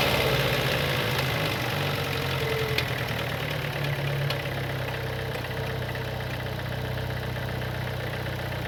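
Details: 2015 Opel Astra J, 1.4 turbo petrol B14NET (88 kW/120 PS), 89,000 km: idle with an uneven light knocking over a steady hum that eases as it settles; unusual engine noise, possible bearing damage suspected, not confirmed.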